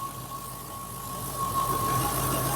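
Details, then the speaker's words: Mk2 Triumph Stag V8 with Zenith Stromberg carbs, at operating temperature after carb balancing and choke fast-idle adjustment, heard at rear of car: smooth, even idle with no misses or hunting; normal idle. "And as you can see, it's pretty blooming smooth. If I take you to the back of the car, you should, through my microphone, be able to hear a nice smooth waffle, that Stag wa"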